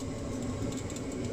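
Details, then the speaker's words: Ariston micro combi boiler, original fan refitted after tightening loose stator bracket screws on its rubber mounts; short even whir at constant pitch with no scraping or rubbing, running nicely for hot water. "okay so I've got the boiler work and it was running nicely for hot water"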